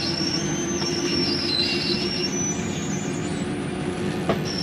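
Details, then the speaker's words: Forest River Sabre 360QB RV slide-out retracting, interior, doors and drawers closed: even motor drone with thin wavering whine, no grinding; normal noise of the slide mechanism stopping itself from going too far in or out. "i wanted you to hear that noise it's okay to hear that don't panic nothing is grinding you'll hear that sometimes going in or out it is the slide mechanism keeping itself from going uh in or out too far"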